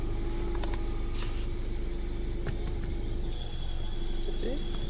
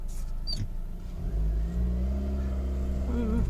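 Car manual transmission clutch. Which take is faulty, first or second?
first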